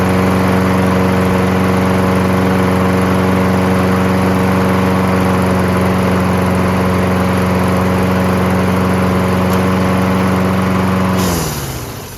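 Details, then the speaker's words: Toro Recycler with Kohler XT675 engine, previously starting then stalling after 5 seconds: after carburetor clean and main jet cleared, starts first pull with a steady even single-cylinder drone until shut off; healthy. "Perfect. First pull. That's all it was. Needed a carburetor clean."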